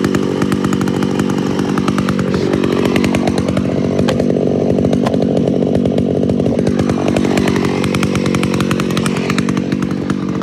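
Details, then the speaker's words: Homelite Super XL-925 82cc vintage two-stroke chainsaw, governor blocked off: crisp steady buzz holding speed with no stumble or bogging; runs and sounds good. "but boy does it sound good doesn't it it runs good"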